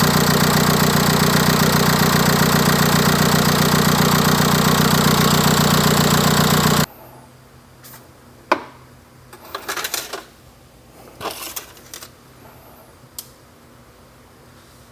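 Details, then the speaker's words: MK4 VW TDI PD BEW diesel before camshaft and timing belt replacement, at initial startup: rough idle with steady, even top-end tick about 2.5 per second, then shut off; suspect cam wear. "you can hear how rough it is on initial startup coming from up here"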